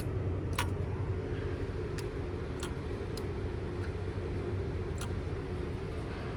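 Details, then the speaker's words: EGR solenoid test with the engine off: grounding the signal wire, which reads 8.2 volts, turns the EGR on. A few sharp, separate clicks as the solenoid is grounded; the EGR solenoid actuates as it should. "So you'll be able to hear it and see on the multimeter when we ground this that it will turn the EGR on and change the voltage."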